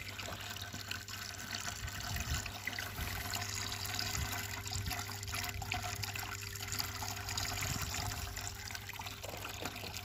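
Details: A Malyutka ("Малыш") vibration pump, about three years in use, had hummed without pumping. After cleaning the check valve and reassembling, a steady faint hum runs under a continuous trickle of flowing water: it pumps normally.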